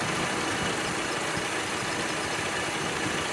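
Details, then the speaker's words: 2006 Honda Civic with intermittent A/C, relay swapped in: click then compressor pulley engages; steady even idle hiss and hum, compressor turning smoothly, no chatter or grinding; relay good, compressor running normally at idle. "it's not rotating and now it's engaged see that means the relay is good"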